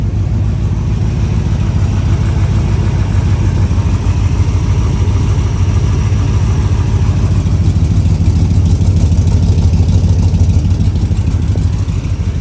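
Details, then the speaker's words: 1972 Corvette, 383 stroker with aluminum heads and intake, Holley carb, Muncie 4-speed, Dougs side pipes, recently restored: deep loud steady lumpy rumble, even firing, no knocks or ticks; healthy performance idle. "it's TurnKey it fires right up it's strong it's real strong it's so much fun to drive"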